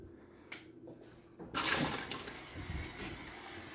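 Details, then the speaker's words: Frigidaire Gallery FGHB2866PF3 refrigerator in forced diagnostic mode: after a quiet spell, a steady rush and hiss of water as the valve fills the ice cube tray; normal ice maker fill. "you hear it filling the ice cube tray now inside all right and then it's gonna a little while dumping the water out"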